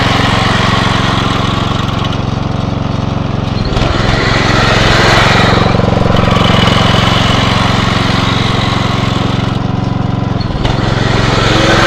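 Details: Atco Royale B24E cylinder mower single-cylinder engine after carb clean: runs steady, dips briefly twice under load and recovers at once, no hunting or cutting out; running properly.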